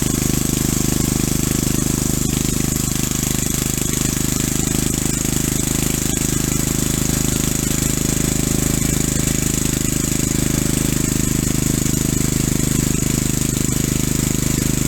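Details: Single-cylinder engine rebuilt with .030 oversized rings and light hone, driving via driveshaft off flywheel: steady idle with faint even knock about three to four times a second; piston slap after rebuild.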